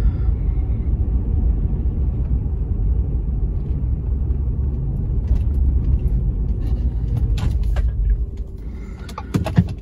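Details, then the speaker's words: 2010 Ford F-150 4x4 after replacing anti-sway bar links, on a road test over the same bumps: a low road rumble with no knock or clunk from the front end; the suspension is quiet and the clunk is fixed. "all right it's looking pretty good here those bumps that i hit earlier did not make any unusual clunking noises in the front end"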